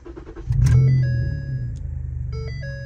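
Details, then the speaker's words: Ford Taurus Police Interceptor sedan starting up. The starter whirs and the engine catches with a sharp bark, settling into a loud, deep idle under warning chimes. The loud exhaust is because one muffler is missing. "now I was gonna lift it but I just looked right under here and check this out for some no good reason the muffler is missing there's only one Muffler"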